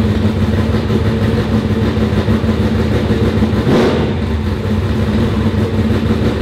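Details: Car on the dyno after fixing a possibly mislabelled sensor (maybe the MAP sensor) that had it running soft. A loud, steady full-throttle roar on the rollers ends with a sharp pop and a fireball. A clean, strong pull that sounds better.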